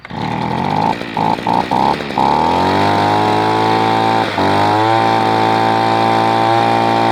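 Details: Echo PB-210e two-stroke leaf blower, 25+ years without maintenance, after spark plug connector and boot repair and cleaning, before carburetor mixture adjustment. It buzzes high and a bit uneven after a few stumbling catches, then settles into a steady, strong run.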